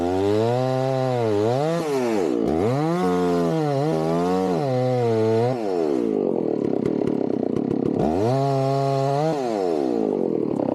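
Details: Chainsaw started cold for tree felling: crisp two-stroke revs climb and drop cleanly with each throttle blip, then hold a steady loaded pitch while cutting. Normal running, strong healthy saw.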